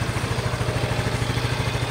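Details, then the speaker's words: Yamaha Mio i 125 (M3) after rocker arm replacement, valve clearance set differently from spec, test 3: soft even idle putter, no ticking or clatter from head; quiet, stock-sounding, healthy. "Wala na si Kalansing. Test number 3. Sobra tahimik na ngayon ang andar. Stock na stock."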